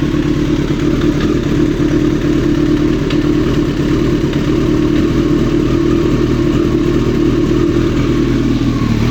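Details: 1995 ZX-9R motorcycle engine idling: dull, clattering knock riding on a steady low rumble, an engine knock.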